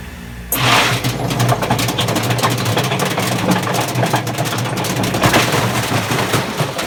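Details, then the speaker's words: Harsh rumbling grind and rattles over a steady motor drone from a Hotpoint FEW12 washer, motor hot-wired, no ballast, spinning up; drum bearings badly worn and refitted belt slipping, prone to jumping off. "Such bad bearings. Okay, I've got the belt back on, but it's inclined to just keep jumping off."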